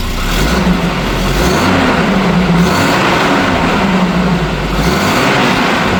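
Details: 1987 Volvo 240 GLT redblock idling after replacing the leaking downpipe: a steady, even, quiet thrum with no loud exhaust chuff, with slight blowing still at one rear joint; sounds healthy.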